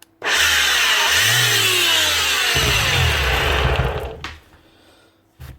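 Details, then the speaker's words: Bosch GEX150AC 6-inch orbital sander: loud, harsh high whir with a rough rattling undertone, then spin-down. The bearings are worn and the switch is faulty; the brushes are also running low. "looks like a switch problem and obviously bearings too because it's as load"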